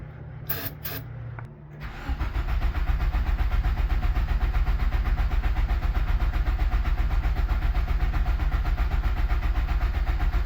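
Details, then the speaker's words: 1997 Nissan 200SX (B14) that sat about 10 years, with spark and fuel smell: starter cranks steadily about four turns a second with no firing; owner suspects a bad fuel pump. "so all right so what I've concluded is a fuel pump is probably bad"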